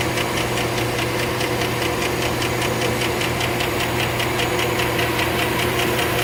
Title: Lifter Tick 2008 Suburban